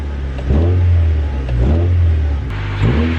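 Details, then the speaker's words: Honda project car, light revs from idle outdoors: three short clean blips rising and falling smoothly with no misses or knocks; normal revving. "sounds pretty dang good if you ask me this should be an easy flip"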